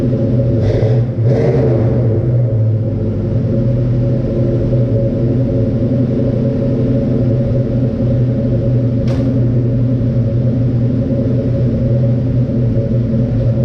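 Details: 1967 Mustang Fastback V8 on its existing mufflers, heard before Flowmaster mufflers are fitted: deep, even burbling idle with a low steady rumble and no misses or ticks; healthy exhaust.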